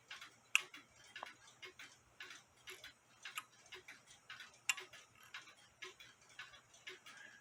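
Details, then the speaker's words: Nisshindo 100-day torsion/anniversary clock, plate 1469E, with a new suspension spring, heard through a beat amplifier: soft, crisp, evenly spaced ticks with no limping or skipped beats, clicking about 180 degrees apart, so it is in beat. "click there and it's clicking about there which is about like I said about 180 degrees apart from each other"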